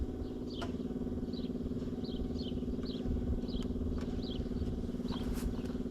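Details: 1994 Ford crew cab truck just acquired, on a revival attempt after being sprayed with starting fluid. Long steady cranking at about four beats a second with no start, though it popped a few times. The battery is getting weak; fuel delivery is uncertain and the fuel filter may need checking.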